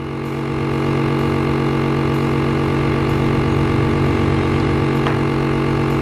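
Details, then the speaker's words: Sibon vacuum sealer, new, wouldn't draw air because its exhaust air hose was kinked/blocked; now switched on: steady, even motor hum with low drone, no knocking or rattling, pump drawing air normally. "Jika sudah, kita nyalakan. Otomatis udara akan mulai terhisap ya."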